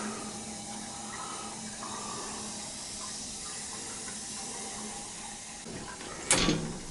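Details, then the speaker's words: Boiler zone on a new 40-gallon Megastor hot water storage tank replacement, purging air after install: steady hiss of water and trapped air rushing through pipes, short louder gush near end; expected gurgle while purging air. "Just want to make sure everything's purged good. It'll gurgle. It'll gurgle gurgle."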